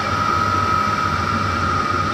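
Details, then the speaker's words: 5 kW diesel air heater in a 28 ft motorhome, replacing the LP furnace, once lit its constant drain stops the charger overcharging the system: steady fan whine of constant pitch over a soft, even roar, no surging or knocking, fairly quiet, normal running. "so I've got a that's it's fairly quiet"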